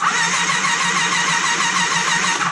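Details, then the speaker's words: Kawasaki ZG1000 Concours parts bike, neglected, cranked over after fitting a cam chain tensioner: steady, even starter whir with no timing chain slop or rattle, absolutely silent chain. "so we're gonna crank the motor over I don't see to show any slop let's crank the motor over"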